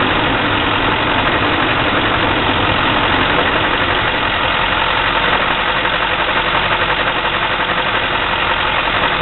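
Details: 2004 6.6 diesel at idle: rough, loping clatter around three beats per second that never settles. Cause unknown.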